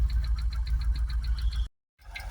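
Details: Jaguar XKR supercharged V8 cold start, rough idle with misfire shaking the bonnet: sharp, even knock about seven or eight per second over a heavy uneven rumble; timing chain suspected.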